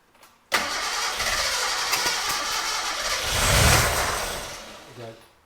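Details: Gilbern Invader Mk3 barn find, one owner: cranks briefly, catches cleanly, revs up smoothly and settles to even running with no knocks or misfires; all pressures good; normal start and idle.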